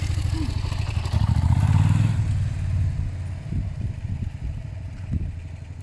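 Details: Suzuki motorcycle, Bandit 400 or SV 650: revs and settles with a clean, even burble, no ticking or puffing from the pipes; exhaust leak no longer heard, normal exhaust note.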